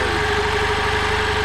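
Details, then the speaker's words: 1992 EZ-GO limousine golf cart, two-cylinder Robin gas engine, sat 16 years: steady, even, quiet idle with no misses, knocks or smoke; runs cleanly, though owner suspects the fuel pump is slightly faulty. "this thing runs awesome no smoke at all wow thing runs great super quiet man I can't believe how quiet this thing is"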